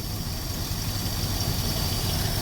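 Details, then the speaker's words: 1964 Dodge "Earlene" after a cold start, with a vacuum leak plugged and the air cleaner off: a low, steady, even idle rumble with no ticking, misses or hiss; a smooth, calm, docile engine. "It's just the most unimpressive engine in the world, but it's just so smooth and perfect and calm and docile."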